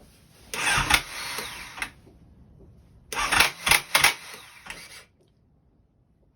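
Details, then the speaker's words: 2008 Honda CBR1000RR that won't start, engine light on: two short bursts of harsh, uneven cranking with rattly clatter and no catch. Something sounds like it is sticking; cause unknown. "sounds awful. Yeah, it does. That doesn't sound right. No, leaping to life sounds right. That doesn't sound like leaping to life, so."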